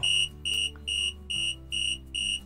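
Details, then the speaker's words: Car tyre pressure monitoring system: sharp high beeps about twice a second in even on-off pattern as the monitor warns a sensor is missing after it is removed from the tyre, before fitting a new battery. "itu kalau misalkan ini dicabut saat kita mengisi bensin, dia tuh bakal berbunyi si monitornya, menandakan kalau si sensornya ini hilang ya guys ya, terlepas dari si bannya."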